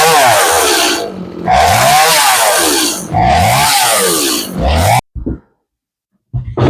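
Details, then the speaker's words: Stihl MS 180C chainsaw unused for years, fuel tank cleaned and new plug fitted, runs only while choke is worked on and off; uneven surging revs then cuts out; fuel line holds pressure, carburetor suspected: engine surging and stalling. "So it will run. If you keep working the chuck on and off, it'll run."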